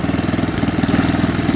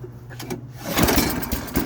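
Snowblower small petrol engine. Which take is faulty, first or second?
second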